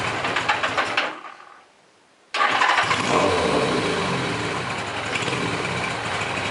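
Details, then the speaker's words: Suzuki GS850 build on first test ride with points ignition: engine cuts out, then catches and revs with an uneven stumbling beat; owner blames the ignition points; rough running. "well it decided it wants to run like crap all of a sudden so I'm pretty sure I know what the problem is"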